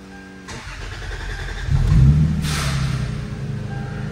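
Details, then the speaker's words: 2001 Lexus GS300 2JZ-GE on a newly installed ECU Master plug-and-play standalone ECU, injector size set to 250cc: brief crank, then catches with a surge and settles into an even, smooth idle with no misses. "okay so like I said runs nice and smooth and it makes a live adjustments which is neat"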